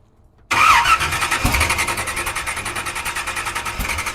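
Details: 1976 Chevy Nova drag car that sat for years, fuel poured into the carburetor bowls, not all spark plug wires connected: starter spins the engine with a quick, steady chug of about six beats a second but it never catches; crank, no start.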